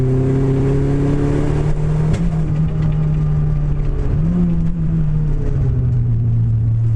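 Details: Renault Clio engine: note wavers and stumbles as revs rise and fall, with an uneven pulse through the rumble; engine misfire.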